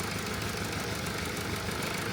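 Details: Mercedes E-Class OM654 diesel after fitting a new V-belt to cure a knocking noise: steady, even idle with no knock or rhythmic slap over the usual clatter; sounds healthy.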